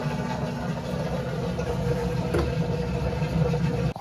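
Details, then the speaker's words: Drain-and-spin cycle on a GE stackable washer that wouldn't drain: lid lock engages (red light), then a steady, low, even motor hum with no knocking or grinding as it drains and spins normally; lid switch had broken from an unbalanced rug load. "So it got the right signal it was looking for. Now it should start draining and spinning."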